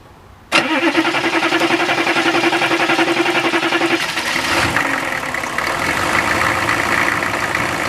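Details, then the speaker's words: Diesel after a fuel filter change, won't start: steady starter cranking with a whine, note changing around four seconds; no fuel coming from the bleeder although the fuel pump is running. "I don't think it's going to start cuz we're not getting any fuel coming out of the bleeder which you think it would if the fuel pump was running which it is"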